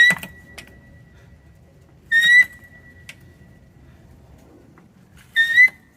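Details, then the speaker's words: Pittsburgh 1.5-ton aluminum low-profile racing jack, over 10 years old, gives a sharp, high squeal in short bursts with each pump while lifting, plus faint clicks. It began within the last year and lifting is unaffected; owner suspects it needs servicing or new hydraulic oil. "so yeah it's doing that um yeah so makes that little squeal noise I hope my neighbors don't think I'm hurting a kid or anything"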